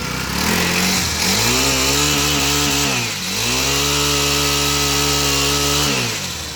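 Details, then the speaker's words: Repaired pocket bike at full throttle: revs hard to a steady high buzz held by the governor, dips once and recovers cleanly; everything working normally after repair. "you can see, I'm gonna give like all the way, and you will hear the governor. Everything is working, guys."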